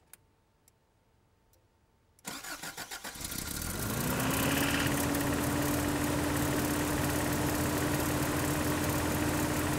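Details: Toyota 4Runner 22RE cold start and rev, just filled with 5W30: steady tapping under fast cold idle; timing chain and/or rod knock suspected, not confirmed.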